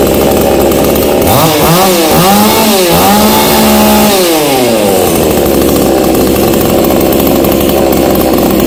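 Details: Black Bull B-CS152 GB6 TOP 6000 two-stroke chainsaw with a 45.2 mm piston, new air filter and longer connecting rod, started on choke. It revs up and down, then settles into a steady high buzz: runs clean and even.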